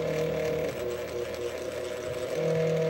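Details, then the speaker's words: Old electric fan: strained, wavering motor hum sagging and surging in fits and starts with horrible noises; owner first suspected a stripped gear; fan motor possibly running rough on dry bearings. "well we got it running good now i just uh it was making horrible noises and kind of running at fits and starts"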